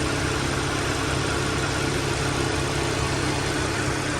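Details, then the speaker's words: Car A/C recharge with R134a in hot Phoenix, Arizona weather, about 110–115°F: engine idling steadily while the second can goes in, with the cooling fan now running loudly on high speed, which is normal. "all right second can going in there you hear the fan the fan came on now on high speed"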